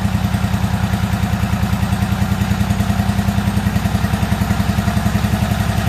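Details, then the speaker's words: Year-old Toro zero-turn mower that came in as a no-start, running after more gas was added, old spark plugs still in: rough, uneven running with irregular backfiring and popping, possibly still skipping. Cause not yet found. "we're going to fire it up you'll hear it back firing and popping"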